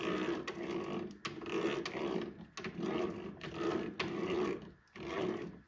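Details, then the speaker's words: Toro 22" Recycler Personal Pace rear drive after fitting metal-gear wheel and 15T sprocket kit to fix stripped plastic gears, stepped washer seated: wheel turned by hand gives smooth, even whirring clatter without skipping or grinding; gears mesh cleanly. "See how that sounds nice and meshed and good?"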